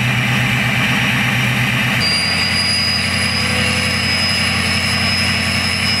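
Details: Ford 6.0 Powerstroke diesel with Gearhead tune, after installing a KC Turbos 10-blade turbo, held at 1,000 rpm: rumble with a clean, high, steady jet-like whistle coming in; normal turbo spool whistle.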